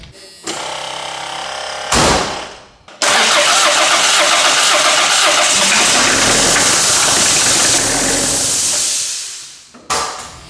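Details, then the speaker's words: 1984 Ford Escort diesel barn find, first start after sitting: it cranks and catches, then a super loud steady hiss over the engine until it is shut off. "You could hear that super loud hissing. I killed it right away. Something something was wrong."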